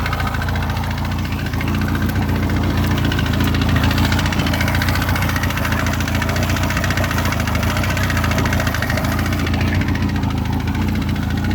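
Steady rough idle with a dull, loosely regular knock about four times a second under the engine note, possibly piston slap.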